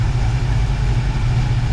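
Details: '55 Chevy Bel Air hardtop with Edelbrock carb, idle just set back where it needs to be after repairs. Deep, even V8 rumble at a steady idle with no misses or ticks. Normal idle.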